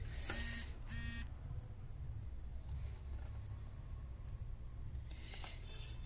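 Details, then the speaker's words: LG 42PA4500/42PA4520 plasma TV (also read as 42PN400) with standby light blinking 2–3 times then red, no sound, no picture: two crisp multimeter diode-test beeps on the Y/Z-sus board read shorted, traced to the failed 30F124 front MOSFET behind the coil, previously replaced by another technician. "ये diode है। देखिए diode short बता रहा है। यह क्यों short बता रहा है हम यह भी चेक करेंगे।"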